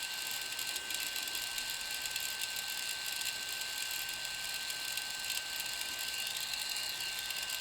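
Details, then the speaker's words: DJI Phantom 3 Professional, new out of box, gimbal holder fell off in transport: steady high whine with a continuous gritty grinding from the gimbal whenever powered on, owner suspects not normal. "I turned it on I noticed this kind of grinding noise coming from the gimbal and it's pretty consistent as long as the phantoms on this grinding noise persist"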